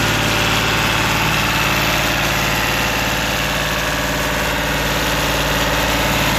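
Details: Lister ST3 three-cylinder air-cooled diesel on an old sewer jetter, first start after purchase, cranked without decompression: steady even clatter about 220 beats a minute, no misses or knocks; healthy idle.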